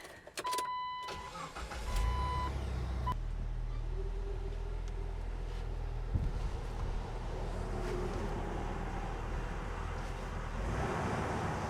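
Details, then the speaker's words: Jeep Wrangler on jack stands tested in four-high: after start-up, a smooth even hum with both wheels spinning freely and no clunks or grinding. Four-high works normally. "hey that's four high let's try let's try four low I'm going to put you up front they're both spinning though it's a good sign"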